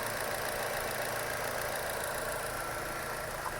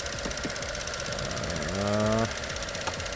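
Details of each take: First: 2016 Chevy Cruze 1.4L after a one-part fix for the engine clicking and code P0496: a steady, even idle with a light regular tick about four per second; no clicking noise, engine working normally. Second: 2016 Chevy Cruze 1.4L with clicking noise and P0496 EVAP code: quick light ticking about four a second over steady idle; faulty canister purge valve, clicking stops when unplugged, fixed by replacing it.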